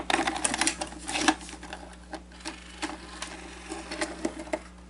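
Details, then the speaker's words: Sanyo VTC 7500 Beta HiFi VCR, cassette inserted before teardown: irregular clicks and whirs of threading, plays about a second then stops and shuts off; belts halfway working, idler tire completely shot; belts and idler tires replaced. "belts are halfway working but the idler tire is completely shot um I'm very surprised that it didn't eat the tape but it did play for about a second and that's about all it does"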